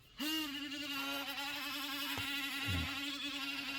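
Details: HP 15 (CW1500SA) laptop cooling fan starts up into a loud, buzzy high whine that holds steady; the fan is confirmed as the source, failing and noisy, and is to be replaced.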